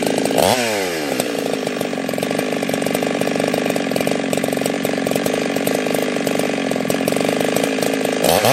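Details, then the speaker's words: Husqvarna 365 Special chainsaw, 52mm build, carb changed, around the third heat cycle, carb tuning still giving some issues: high steady crisp scream holding pitch through the cut with no bogging; strong healthy running. "I may put that decomp back in there. This thing is just a monster."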